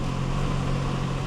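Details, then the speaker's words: Genesis at salvage auction, 243,000 miles, check engine light flashing: rough lumpy idle with dull tapping under exhaust drone; possibly rod knock or cam follower, unconfirmed. "says it doesn't run granted probably has a rod knock or Cam follower or something something in the engine bay there is is very unhappy"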